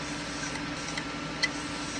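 Faint, uneven light ticks about every half second over a soft spinning hiss: the hard drive is clicking, cause unknown.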